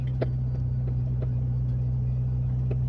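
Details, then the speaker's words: Acura RSX driving at night while testing cam setup; over steady low drone, light irregular tapping knock about three times a second; owner suspects intake bumping against filter, unconfirmed. "I hate that sound. I don't know what, I'm pretty sure it's my intake bumping up against my filter, I'm pretty sure."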